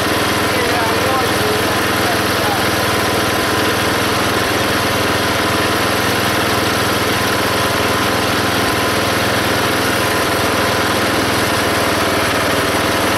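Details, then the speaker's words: Belt-driven log splitter small engine after fitting a homemade spring-tensioned idler arm and pulley to stop the belt flying off: constant drone holding speed while splitting a log, no squeal; hardly any belt or pulley slipping. "now when it runs you can definitely hear the engine take the pressure of splitting that log and there's hardly any slipping on the pulley or on the Belt"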